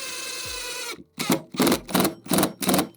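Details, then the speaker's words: Cordless 3-speed impact driver on lowest speed (setting 1) driving a screw: motor whir then about five quick rattling hammer bursts as the screw seats; normal impact action giving depth control. "That's a little bit of impact that allows it to drive that screw exactly as deep as you want it."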